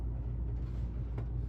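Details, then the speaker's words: 2013 Chevy Suburban after new idler pulley, tensioner pulley and serpentine belt: short, even engine rumble with no squeal or chirp; belt drive quiet and normal. "should be all good now."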